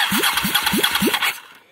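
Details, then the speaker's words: Honda Pacific Coast PC800 motorcycle after the failed starter motor was replaced and reinstalled with wiring reconnected, starter relay fine, 13 V lithium battery fitted: four quick, even starter whirrs, each spinning up cleanly; starter now cranks the engine properly. "Voilà, c'est ce que je n'avais jamais entendu avec cette machine. Donc j'ai bien réinstallé le démarreur starter motor starter à sa place"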